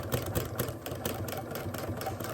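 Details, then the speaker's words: Sewing machine doing free-motion textile art, stitching voile layers over a thin card backing. Quick even thumps about four a second over the motor's whir as the needle punches through the card, which the machine dislikes. "I don't think it quite likes, because as you can hear that thumping, it doesn't really like that fabric base, you know, that card."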